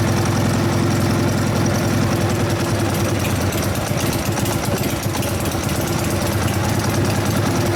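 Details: 1999 Harley 80ci Evo V-twin in rigid frame: loud loping, slightly uneven idle, cylinders not firing evenly; low-speed jet fattened to 29.5, idle mixture first wanted rich then not; owner suspects dirty carburetor cleaning itself out. Unsteady idle.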